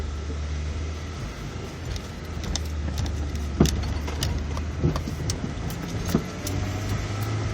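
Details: 2002 Acura RSX Type S with stock motor mounts, Eibach lowering springs and no front sway bar, driving: road rumble with separate dull clunks every second or so; suspension clunk, cause not yet found.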